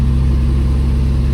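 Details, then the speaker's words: 1967 Lancia Flaminia GTL 2.8 3C Touring, three carbs, V6, started without choke, neither warm nor cold: deep, even burble at steady idle with no knocks or misses; starts easily and idles beautifully. "Starts that easy. It's not warm warm. It's not cold cold either, but it does start beautifully. No issues hot or cold."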